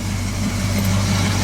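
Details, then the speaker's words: 1978 Chevy C-10 parts truck engine idling before being pulled: deep, heavy idle with a slightly uneven low beat, not running clean; owner suspects a wiped-out cam or timing chain, cause unconfirmed. "You still don't run too good. I think maybe the cam's wiped out. And timing chain is a common problem with these things."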